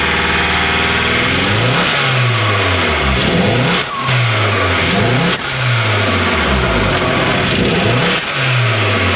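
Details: Nova Turbo: the engine revs up and down in repeated blips with an uneven, stumbling beat underneath; misfire, cause not clear.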